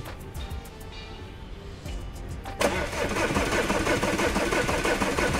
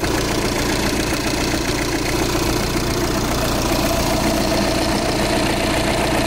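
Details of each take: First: Diesel Audi Q5 with a fuel pump electrical circuit malfunction code: even cranking at about three beats per second, engine never fires. No diesel comes out of the fuel line into a bottle; no fuel delivery. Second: Audi Q5 diesel, towed in with a no-start, after replacing the fuel pump and module: a steady diesel clatter at an even idle with no stumbling; the engine now starts and idles normally.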